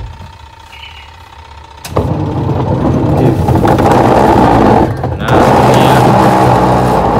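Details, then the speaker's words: Twin-tub washing machine in wash mode: a quiet hum turns into a loud, rough grinding growl pulsing about four times a second when loaded with clothes; worn gearbox, with the pulsator gear still to be ruled out. "ketika ada baju itu bunyi kasar teman-teman ya Oke sekarang kita coba Lepas dulu untuk baut yang di bagian belakang karena di sini kerusakannya itu ada di gearbox-nya teman-teman ya"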